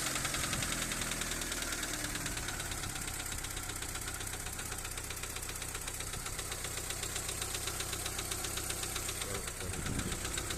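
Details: Daewoo Nexia 1.5 second generation, after a bang (backfire) while driving and poor running; hydraulic lifters already replaced without change: sharp metallic knock about four times a second over steady idle, louder than the engine; cause not yet identified.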